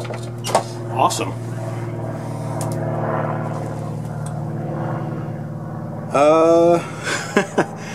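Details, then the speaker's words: Long-stored Yamaha G2 gas golf cart, after carb cleaner sprayed into the carburetor with choke stuck open: small single-cylinder holds a steady low hum with even beat, brief squeal partway through; keeps running. "that's great it's going too good so far"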